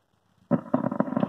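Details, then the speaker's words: Small IC amplifier circuit at switch-on: the speaker spits a rapid, uneven crackle of several pops a second, and sudden noise can also break into playing audio, typical of a dry solder joint on the board. "Programme चल रहा है और बीच में ऐसे अचानक आवाज़ आएगी तो आप कैसे ठीक करोगे"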